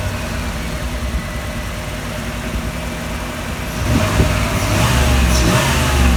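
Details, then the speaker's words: 1987 Chevrolet Camaro IROC, original 350 V8 with 115,000 miles, running after years with cleaned injectors swapped in from another 87 IROC: low, steady idle about 600–650 rpm, even burble, no ticks or knocks, no check engine lights; healthy normal idle. "So it's got a nice idle. It's idling right about 600, 650. No check engine lights. Everything seems solid. The motor sounds really, really good, really healthy."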